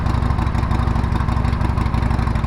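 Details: 2012 Harley-Davidson Sportster revival, running after the tank was bolted on, fuel added and the fuel pump primed: a deep, lumpy potato-potato beat at a steady low idle with even firing and no knock or rattle, a healthy idle.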